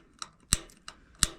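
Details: Rheem gas water heater in attic, before burner replacement: sharp irregular piezo igniter clicks about three per second at pilot, not lighting; pilot only stays lit temporarily.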